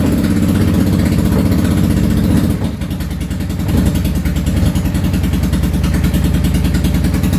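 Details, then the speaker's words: Yamaha V-Star 650 Classic, completely cold, choke off, after new fuel lines, fuel pump and carb work: loud, irregular loping idle with a dip, the front cylinder firing on and off and the rear steady. Suspected front carb fuel-transfer problem. "okay well it's definitely running and it is running both cylinders a little sporadic I think it just needs to run a little bit honestly is what needs to happen"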